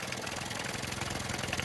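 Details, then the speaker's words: Yamaha 9.9/15hp outboard with the mixture screw at 2.5 turns: slow, lumpy tick-over threatening to cut out, and too low for adequate cooling-water pressure. Idle is set too low and near stalling. "Well, that's threatening to cut out. So I'm gonna give it a tiny little twitch."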